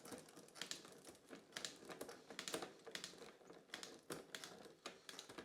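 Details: Bike rear derailleur after repair and realignment, with quarter turns in for a big sprocket jump: crisp, quick clicks as the chain steps up and down the sprockets without chatter; clean gear shifting.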